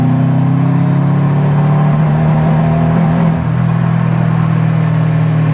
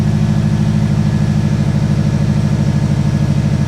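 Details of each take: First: Subaru engine freshly reassembled and installed, on 92 octane fuel; deep drone under hard load pulls fine to 10 psi boost then chugs and cuts out, check engine light flashing; misfire under high boost, cause suspected, not confirmed. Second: Freshly reassembled Subaru engine back in the car, first start: steady even low thrum at idle, about three pulses a second, no misses or knocks; normal idle, some smoke as intake is full of oil.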